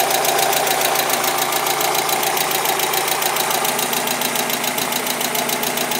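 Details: Mazda Miata started after sitting for months, having earlier cranked without starting; sharp steady tick about three to four per second over a rough idle with a faint electrical buzz; cause unknown, a new engine has been suggested.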